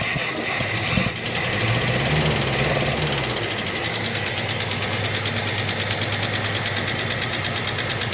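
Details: 1967 Plymouth Barracuda at idle, with lumpy, uneven beat and a missing pulse as plug leads are pulled on the noisy side to find the cylinder; dead cylinder misfire. Distributor looks set too far out and the engine sounds flat.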